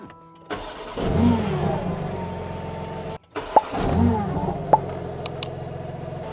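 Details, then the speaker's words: Rebuilt BMW G80 M3 with replacement engine, first start after the rebuild (new PTB twin-disc clutch, VRSF downpipes): short crank, catches, steady idle, brief cut-out and clean restart. Healthy, despite the tank being almost empty. "Oh my god, it just fired right up."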